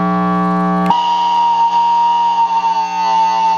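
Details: Fryette Power Station amp with single-coil guitar, bright settings and a gain pedal: chord cuts into steady piercing high squeal holding pitch; output transformer magnetic feedback, predictable and harmless, also happens with a resistive attenuator.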